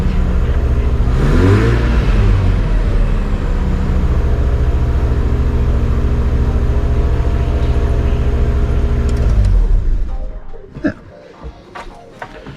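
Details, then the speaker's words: Car from a collection, last driven about 2 months ago: engine climbs briefly on a rev, settles to a steady even drone, shuts off cleanly; normal running and revving, sounds good. "sounds good"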